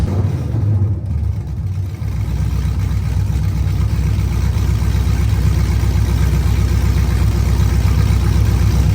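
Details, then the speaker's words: LSA-swapped Chevelle V8 running through open headers with a loud, lumpy, uneven idle that keeps wanting to die; owner suspects the O2 sensors sit too far from the header ends, unconfirmed, during a heat-cycle test. "So, side note, it's dying probably because the O2 sensors are like this far from the end of the header and it just does not like that."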